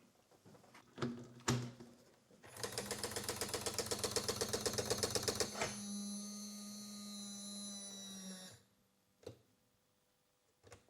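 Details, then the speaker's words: Broken LaserDisc player on power-up; fast mechanical rattle about four per second, then a strained whirring drone. A raised mechanism part was not sliding on its wheel; pushing it down stopped the noise. "So I think it's this has been kind of raised too far and it's not sliding on this wheel, but then when I push it down, it will."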